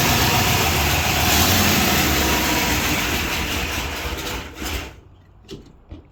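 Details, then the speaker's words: 1978 Chrysler Newport after a new fuel pump, running after sitting for a long time on old, thick fuel; busy idle with a quick, even ticking of hydraulic lifter chatter, then it stumbles and dies, also dying when put in gear. "Well, cool. It sounds good other than that chatter."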